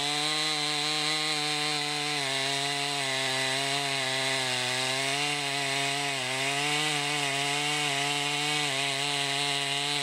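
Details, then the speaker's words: 2020 Stihl MS261 chainsaw, non-M-Tronic standard-carburetor version, 20-inch bar, cutting oak: high steady buzz sags slightly and recovers as the chain bites, pulling cleanly and holding speed; normal cutting under load. "you can see it handles that oak pretty well too just a good versatile saw"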